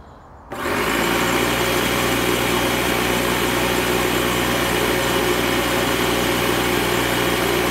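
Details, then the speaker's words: Secondhand air compressor found to work: it kicks on after half a second and settles into a steady, even rattling drone, running and compressing air. Owner suspects a possible issue with the shut-off mechanism. "Sounds like it's running to me and it compresses air."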